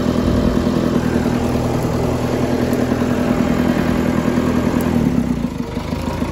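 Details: 20+ year old John Deere 555 bulldozer, sat for many years, found with a dead battery (0.25 V), then started: loud, steady diesel clatter at an even idle with no misses or knocks; the engine runs healthy.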